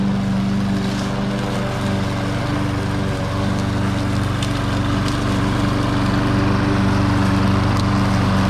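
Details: Troy-Bilt TB280ES mower rescued from trash, no-choke no-prime carburetor: steady even putter at constant speed, no misses; runs okay but hard to start, electric start dead, possibly clogged carburetor needle.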